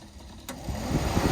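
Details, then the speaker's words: LS-swapped El Camino overheating, fan wiring with melted plastic and loose terminal in connector: sharp click then fan whoosh spinning up from silence as plug is pressed; intermittent cooling fan from loose connector cutting power. "so sorry issues the connector well let's figure out how to make this more uh permanent"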